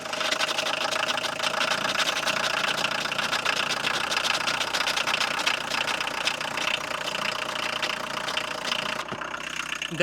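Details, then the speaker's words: 1982 VW Golf Mk1 1.6 diesel, sat 12 years, after full service with fresh fuel added: starts first try, loud but even diesel clatter at idle, steady beat; running smoothly. "crazy, it started on the first try. It's fucking loud. Anyways, as you saw, it started on the first try. Much easier than before."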